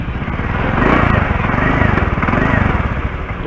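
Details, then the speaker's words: Honda Spacy scooter idling with a loud, raspy puffing from a leaking exhaust; recorded before repair, owner later takes it to a mechanic. "nah ini motor yang saya gunakan ini bunyinya nih kalau knalpot bocor begitu"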